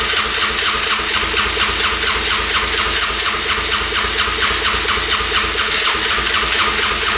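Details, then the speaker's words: 1997 Polaris Magnum 425 6x6 ATV after carb cleaning: rough uneven rasping run with sharp pops backfiring through the carb; owner suspects worn cam lobe. "oh it's running backf firing through the carb you can see that's not good so more than likely the cam lobe is worn out"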